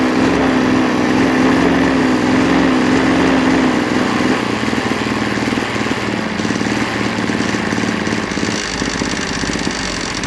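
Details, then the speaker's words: 26.5cc two-stroke engine after hand-filing a scratched, stuck piston: busy buzzing run with fast metallic beating about three per second on top, confirmed coming from the clutch; clutch rattle. "I hope you heard some um like still um chicken steel noise I'm not sure if that's the clutch or that's something else I hope very much it's the clutch"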